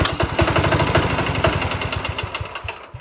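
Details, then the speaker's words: 1968 Sears Suburban 12 single-cylinder diesel with new intake and 1-inch inlet pipe: chugs unevenly and dies within three seconds; suspected fuel starvation, air from a leaking fuel line, restricted intake, or shutoff solenoid limiting throttle. "and it is possible that that shut off solenoid is causing a problem CU that only allows the throttle to go out a little bit and it's not much at all"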